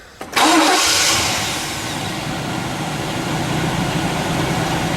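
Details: After starter motor replacement and cleaning corroded battery connection: quick crank, clean catch, smooth even idle easing down with no grinding or whine from the starter; starts normally.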